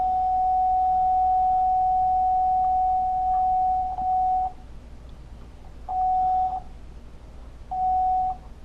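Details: Marshall Lead 12 guitar amp that cuts out after playing a while, now playing a test tone. The tone drops out abruptly and returns in short bursts. A poor connection at the input jack is suspected, either the jack itself or its ground, and the ground is to be resoldered.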